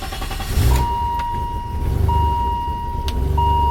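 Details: Engine runs with an even low rumble and a repeating high chime over it, with no stumbling or misfire. This is after the plugs were checked and a sketchy-looking part, thought to be the culprit, was dealt with: normal running.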